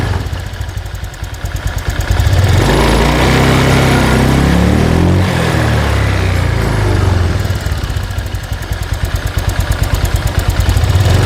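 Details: Honda Vario 125/150 scooter after fixing low-rpm hesitation traced to the injector: even idle revs from 1500 to 3000 rpm and settles back with no stumbling or popping; normal running.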